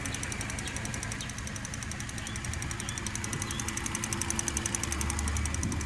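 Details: 2008 Cadillac CTS 3.6 LY7 at cold idle: quick, steady light ticking over smooth idle, louder on passenger side; top-end tick of unknown origin, possibly valvetrain.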